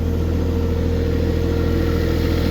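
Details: Diesel tractor in winter, restarted after stalling on gelled or iced fuel, warming up before plowing snow: steady low rumble at constant idle, evenly firing, no misses, knocks or hunting; normal idle.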